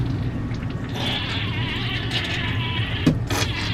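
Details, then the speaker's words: Newly installed Dometic 310 RV toilet, first fill after water was turned on: steady rushing water with sputtering, gurgling hiss from the fill valve; owner guesses air in the line, unsure if the noise is permanent. "Wow, that sounds really funny. I'm guessing there's some air in the line."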